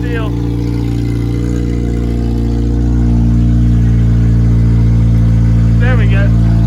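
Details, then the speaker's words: 2003 Honda Civic Si EP3 dirt-track race car with swapped-in replacement engine: steady, even low hum, smooth firing with no knocks or misses, settling cleanly at idle. Normal idle. "every once i have to come out here and just crank that and sit in it just because i forgot i start forgetting what a running engine sounds like"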